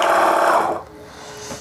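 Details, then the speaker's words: Reverse osmosis water purifier diaphragm booster pump making a loud, harsh buzzing hum before being opened to loosen its three large bolts to reduce the noise. "देखिए यह pump है और इससे काफी तेज आवाज आ रही है तो यह किस कारण से होता है"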